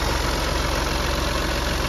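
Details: BMW 116d diesel after replacing the auxiliary belt and tensioner to cure a squeak: steady idle with an even clatter and no squeak or chirp from the belt before shutting off; belt drive now quiet.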